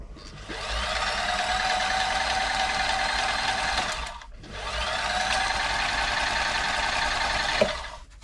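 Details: Toyota Model 2640 domestic sewing machine after servicing and oiling: two smooth, even runs with a steady whirring stitch rhythm, no clatter or binding; normal running.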